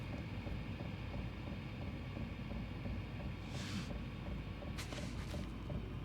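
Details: Diesel heater mounted on the side of a camper, fully warmed up and running low at a 12-degree setting: faint regular dosing-pump ticks under a low combustion rumble, resonating through the mount into the camper and measured at up to 84 dB.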